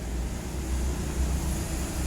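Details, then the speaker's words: Hitachi automatic washing machine that won't wash or spin: a steady low hum with the motor audible but the drum completely still after pressing start. Cause not yet diagnosed. "หากใครที่กดสั่งชัดนะครับใบนิ่งไม่ขยับอะไรเลยได้ยินเสียงมอเตอร์นะครับ"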